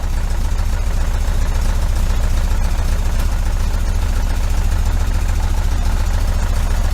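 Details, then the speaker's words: 1973 VW Super Beetle 1745cc engine on dual Dellorto FRD 34 carbs with a balance tube, tested running on only two cylinders (one side's plugs disabled). Rough, irregular chuffing with a hiccup; it won't idle on either side alone. "when you run it you crank it up and then with two cylinders I've got a little bit of a hit a little bit of a hiccup"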